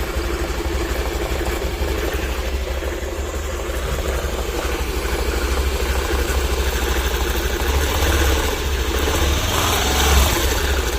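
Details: Honda Activa scooter at idle: steady idle with uneven rattling beat about three per second on top; abnormal clutch-area noise, cause unknown.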